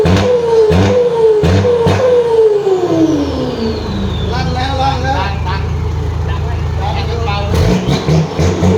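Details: Freshly assembled exhaust with a new flange and gasket, checked for leaks: deep rumble with rev sweeps rising and falling smoothly, no puffing or ticking at joints. Exhaust sealed and healthy.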